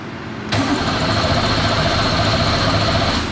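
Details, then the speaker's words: Abandoned Chevrolet Camaro Z28 1LE race car with a fresh battery: starter cranks at a steady, even beat of about four turns per second, no catch; about 60 psi oil pressure but no fuel pressure. "okay started to climb are you sure yeah let's oh there we go oh dude that is like almost 60 psi of oil pressure we have no fuel pressure though that's that might be a prob"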